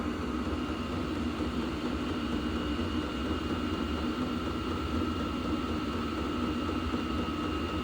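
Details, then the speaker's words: HCALORY diesel air heater on 12V battery, set near 67°, turned down about 8°; steady blower roar with faint whine and soft fuel pump ticking slowing down, running evenly and healthy. "yeah, it sounds like it's it's slowing down now. I can hear the pump is not pumping as fast as it was. And I just turned it down like 8°."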